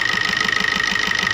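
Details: Maruti new Swift diesel idling with regular knocking and white smoke when revved: sharp even knock about six a second; return test shows injector no. 1 about double cylinders 2–4; injector to be serviced, tank cleaned, fuel filter replaced.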